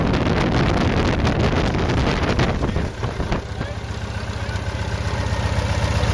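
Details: RV-8 aircraft N623RJ, first engine start: "whopping a little bit," an uneven pulsing whop-whop of roughly four beats a second over the idle drone, cause undetermined; oil and fuel pressure good.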